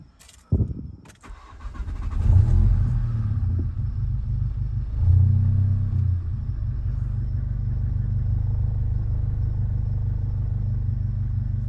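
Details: MK7 2015+ VW GTI just fitted with an OEM RS3/TTRS low pressure fuel pump on a Skunkwerks harness; just before, no prime was heard and fuel pressure read low. It cranks briefly, catches and settles into a steady, even low idle.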